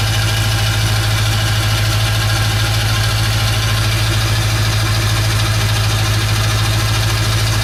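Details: 1996 Ford F350 7.3 Powerstroke diesel after electronic fuel conversion with new fuel pump: steady, even clatter at idle with firm low rumble, no misses or knocks; running smoothly and healthy.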